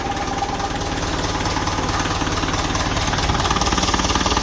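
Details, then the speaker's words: 1955 Ferguson TEF 20 diesel tractor, after fuel system work, warm: steady, even clatter with no misses, not smoky, noisy air intake. It charges when revved and cuts out cleanly off the revs; normal diesel running. "And it's cutting out lovely, so when you rev it, it's charging, and then off the revs cuts out lovely. So that is perfect. Starting to even sound sweeter."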